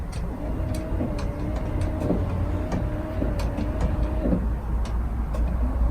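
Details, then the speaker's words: Classic Ferrari 308 under restoration: windscreen wipers, previously not working, now run; motor whirs rising and falling with each sweep about once a second, steady, with several speeds working — normal wiper motor operation. "Yes, here we go. So we have some windscreen wipers working."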